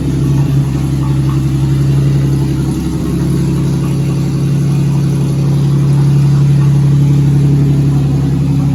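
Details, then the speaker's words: 2004 Ford BA Falcon XR6, started for the first time in 3 years after oil, water and fuel checks: even, steady low drone with a gentle rev rise, no knocks or misses; running cleanly. "so I'll get the old boy to see she'll fire up for the first time in 3 years it's running"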